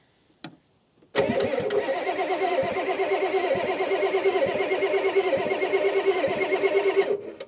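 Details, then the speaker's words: 1989 Ford F250 7.3L IDI diesel, sat 6 years, cranked by jumping the starter solenoid: steady cranking about three turns a second for six seconds, never catches; no fuel delivery, fuel filter missing. "right now like I said we cannot start this truck because we don't have a fuel filter on it"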